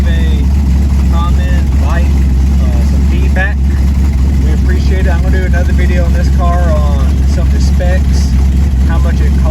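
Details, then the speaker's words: 1972 Chevy El Camino V8 on Holley Terminator X, not yet tuned and with no exhaust: a loud open-pipe idle with a lumpy, uneven beat. It runs rough at idle, likely from the missing tune, not confirmed. "It still does not have a tune, and it still does not have exhaust."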